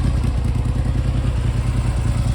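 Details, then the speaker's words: Triumph Hurricane X75 running rough after restoration, Amal Concentric carb air screws set to about one and a half turns, running with choke on: lumpy, uneven idle that surges and races slightly; carbs to be removed. "let me fire up again and I'll bring you back sounding it well it was sounding a bit better it's beginning to race a bit"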